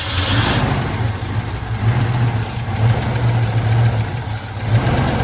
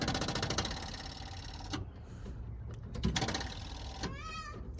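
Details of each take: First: 1975 Chevy C10 square body V8 idling steadily after sitting since 2003, about 18 years, just revived and running on its own: deep, steady rumble with slight waver, no knocks or misses. Normal healthy idle; "that thing runs pretty good." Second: 1975 Chevy C10 sitting 18 years, first start attempt: starter churns in slow, laboring pulses under two seconds without catching; the motor turns over but the battery is low.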